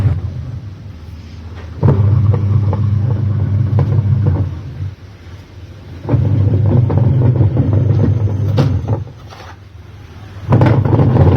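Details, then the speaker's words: Automatic washing machine with a worn gearbox, in the washing drum. Empty it is quieter; loaded with clothes, a deep rumble swells with each agitator stroke and drops between strokes. Worn gearbox noise under load, needing repair. "आपने देखा था जैसे machine खाली चल रही थी तो आवाज कम थी और जैसे मैंने इसमें कपड़े डेल और इसकी आवाज बाढ़ गई तो इसी को ही रिपेयर करना है"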